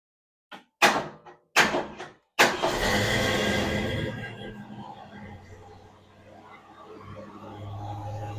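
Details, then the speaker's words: 1966 Ford Mustang 289 V8 just after fuel pump replacement: a few clunks, then it catches and settles into a steady, even idle with no rattles or knocks while warming up and being checked for leaks; normal start and idle. "crank down that idle for a minute, let it run here, let it warm up."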